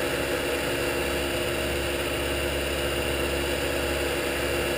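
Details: Shopsmith 10ER with Leeson 3/4 HP 2500 rpm DC motor and KBMD240D controller, after truing pulleys, no belt guard, around 4,000 mid-range: steady even hum with light whir, no knocks; normal running.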